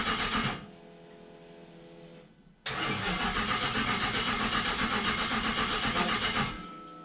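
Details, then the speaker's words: Supercharged Nissan VK56 V8 in a Nissan Gloria on a Link ECU with 1000cc injectors: the starter turns it over evenly at about four beats a second with no firing; no start because the main fuel pump is not running and fuel pressure is low. "Not starting. I don't seem to have a lot of fuel pressure happening. So the main pump's not going, the big one."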